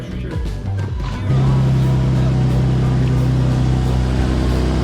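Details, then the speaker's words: Car at idle after oil change, 15-second run with garage cracked: steady idle with fast, sharp puffing tick about four a second; exhaust leak in the exhaust, not the manifold, parts likely need replacing. "Oh, that's in the exhaust. That's not in the manifold. Yeah, that's a straight exhaust leak right there."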